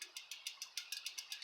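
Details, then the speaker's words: Cyclamatic CX2 folding electric bike hub-motor wheel: quick light metallic clicks about seven per second from loose spokes rattling; loose spokes can unscrew, catch the frame and snap, some already broken. "this one's a little loose that one's not too loose this one's a little tiny bit loose but um yeah that's that's not good"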